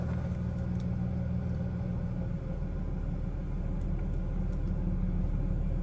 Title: Nearly dead battery. Very rough idle. Silverado cranking.